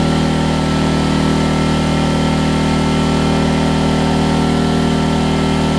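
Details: Homelite LR4400 generator after carburetor and kill switch replacement: steady, even drone with a smooth low hum, no misses or knocks; runs cleanly, though the kill switch is not yet grounding it out.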